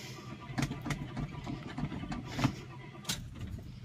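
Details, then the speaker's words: Cold start of the "Sweet71" car after two weeks of rainy weather, recorded with the window open: irregular coughs and pops for a couple of seconds, then it catches and settles into an uneven cold idle with slight thumping. Sputtering cold start. "sputtered come on there we go she's ready to go"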